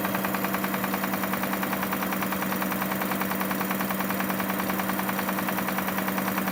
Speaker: So yeah, we have this Kia Sorento '05 has that engine noise in there. I'm gonna try and diagnose this and see where the noise is coming from.